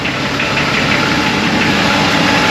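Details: VL Commodore (planned turbo build) cold start two days after oil change with lifter-freeing additive (one bottle per 5 L, 4.6 L oil): even idle with fast light ticking, noisy hydraulic lifters that come and go, worse some mornings.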